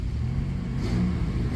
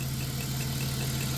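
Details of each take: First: 1994 Chrysler Town & Country AWD minivan engine after replacing over-long manifold bolts that hit the EGR tube: steady low note revving up and down, no more pop-pop manifold leak ticking; leak appears cured. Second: Warm 1994 Chrysler Town & Country AWD minivan at steady idle: a faint whirring chirp above the engine hum from a worn AC compressor bearing, audible when warm; also a small cold exhaust leak, suspected at the donut gasket.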